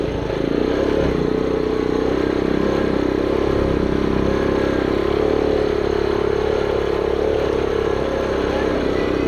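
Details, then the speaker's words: 1974 Honda Trail 90 (CT90), brought back after sitting since 1984, idle turned down a little: it fires on one kick and runs with an even, steady single-cylinder putter, no knocks, misses or rattles, so it is running normally. "but yeah one little kick fires right up and go back down to the bottom once you drag the golf cart down fires right up and drives right along"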